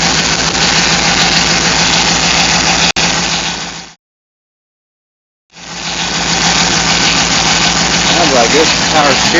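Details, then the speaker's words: Hemi after aftermarket cam and Flex-a-lite fan install, power steering fluid drained: rough idle with a faint whine over it; power steering pump whining from low fluid and air. "I drained the power steering it's just whining isn't it"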